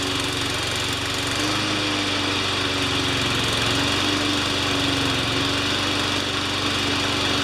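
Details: Honda engine on a Craftsman 21-inch mower after a new pull cord, lubricated rewind, air filter, loose valve gasket repaired, oil change and new Craftsman blade: steady, even single-cylinder note with no surging; runs smooth.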